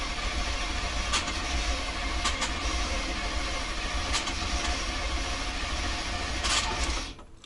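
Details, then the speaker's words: 1990 GMC 350 small-block V8 first start after engine swap: steady starter churn that never fires, then cuts off; cranks, no start. Oil pressure and fuel pump pressure present; owner suspects he messed up the timing. "okay I do not get it firing though so it's no gas"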